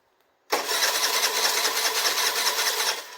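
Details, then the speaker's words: 2007 Piaggio MP3 scooter that ran when dropped off but now won't start: a fast, even starter churn of about two and a half seconds that dies away without the engine catching; cranks, no fire. "oh no yeah it's cranking over yeah"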